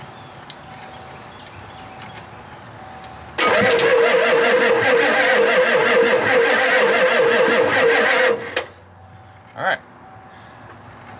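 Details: 7.3 non-turbo Power Stroke F-250 diesel sitting 10+ years: steady starter churn about five seconds, even rhythm but never catches; still not firing.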